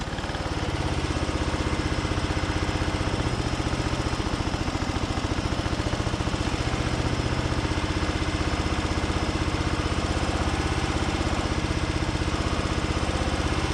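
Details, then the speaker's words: 2004 Craftsman DYT4000 riding mower, single cylinder, before carb cleaning and valve adjustment: ragged, hunting thumps at about four a second with some noise from the drive belt tensioner pulleys; rough running from carb issues. "m yeah obviously some some carb issues and i can hear a little bit of noise from those uh tensioner pulleys on the drive belt"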